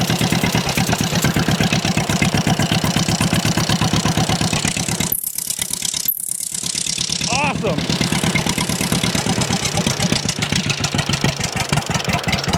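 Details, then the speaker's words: 83-year-old John Deere B, seized 20 years and freed, hand-cranked start with fuel on and belt off; slow even two-cylinder putt-putt about 170 beats a minute, steady; engine judged not in bad shape. "that makes me pretty happy because if it can start by hand by me doing this the engine's not in that bad a shape"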